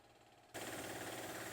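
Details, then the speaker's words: Alkin W31 Mariner 3-stage high-pressure compressor, broken in, running in a shed: quiet background, then starts with a steady pumping drone plus hiss from one open drain valve; normal startup. "So right away you'll notice that it's just a little bit louder, and that's because one of the drains is open, and so that extra noise was that last drain open."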